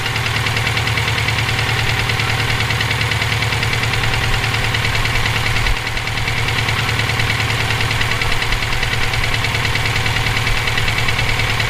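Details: EJ257 at idle: a rough, rapping knock at roughly two per second rides over a busy idle, present for about 17k miles since purchase; owner suspects rod knock, a spun bearing or valve lash. Internal knock, source unconfirmed.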